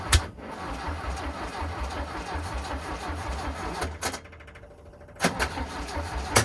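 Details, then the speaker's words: VW Bus engine neglected about 30 years, out of the vehicle, carburetors untuned, auto chokes opening, battery tiring: starter churns the engine in repeated bursts with a regular beat but it never catches. Cranking, no start. "Who? Battery's getting a bit tired. >> Yeah, I was going to say."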